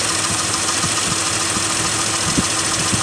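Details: Mitsubishi Montero that previously would not idle and shook badly as if misfiring: idle now holds steady without heavy shake, a few soft uneven thumps and an exhaust leak remain; not a cylinder misfire, engine runs fairly smooth.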